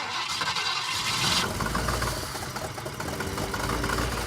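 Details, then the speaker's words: 1960s car run after sitting over six years, just after a fuel pump polarity fix: catches, then chugs lumpy and uneven at about three beats a second, never settling; rough running from incorrect ignition timing. "I'm happy to hear it run. Running good, I wouldn't say that."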